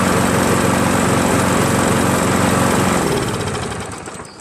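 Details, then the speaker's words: Craftsman 7HP green self-propelled lawn mower, hard to start but cuts well; engine pulses roughly, a bit uneven, before dying off; owner feels it runs very rich, too little air, and plans a carburetor replacement. Cause unconfirmed. "feels like kind of runs very rich you know like there's too much octane you know not enough air you know that's what it feels like"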